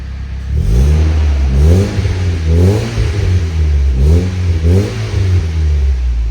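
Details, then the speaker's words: Nissan S15 SR20, newly turbocharged, with the downpipe and full exhaust (R34 GTT muffler) on, still running naturally aspirated: several clean rev blips with a deep, quiet, stock-like exhaust and no rattles. Healthy. "that's actually perfect it's actually on the quiet side but I'll take that cuz when the waist gate open you'll know look it sounds like stock nobody will never know"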